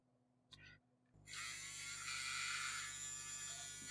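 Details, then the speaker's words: Addams Family Thing coin bank, small motor after running in and adding grease: steady, even high-pitched whir with no squeal or catching; horrible noise gone, motor runs normally. "Okay. Well, it's not making the horrible noise now, right?"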